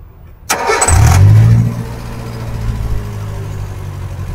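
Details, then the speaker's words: 2007 Suzuki Carry Futura pickup, 1500 cc fuel-injected, with a racing exhaust silencer (so somewhat loud). Quick crank and catch, a brief flare, then a smooth, steady idle with no knocks or misses; idle judged normal. "Kita udah starter, ini suara langsamnya. Mobil ini udah injeksi 1500 cc. Ini memang dari knalpotnya udah pakai racing ya untuk silinsernya, jadi memang suaranya agak sedikit keras. Cuman suara mesin stasioner ini saya rasa suaranya masih normal."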